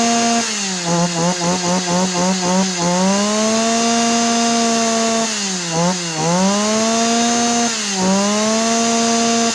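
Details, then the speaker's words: Yanmar (Kyoritsu) 209D small two-stroke engine after coil switch-wire jumper: sharp buzzing climbing to a high steady scream, blipped cleanly with quick, eager response; revs freely and healthy. "อ่ะเดี๋ยวสตาร์ทแล้วไปเร่งรอบเครื่องดูว่าเจ้านี้มันจี๊ดแค่ไหนครับ"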